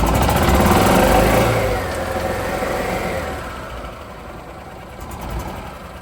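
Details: 2007-2016 Yamaha G29 YDRA petrol golf cart after replacing rear clutch spring and refitting drive belt: brief rev then steady idle with no belt squeal; belt now rides near top of rear clutch.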